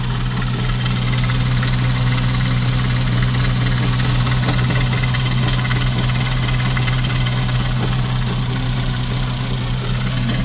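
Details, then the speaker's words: VW 2.5 engine idling with the oil cap removed: lumpy, uneven beat of about three to four pulses a second and a shaky rumble, knocking or banging; rough running, cause unknown. "Why would it do that? Took the oil cap off and it's running like this? Like, why?"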